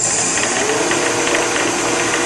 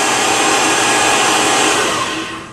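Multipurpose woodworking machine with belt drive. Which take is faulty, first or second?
first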